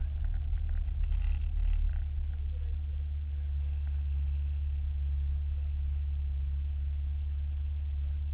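Deep engine hum that settles after a brief rev, with a slightly lumpy low throb; runs poorly, cause not identifiable.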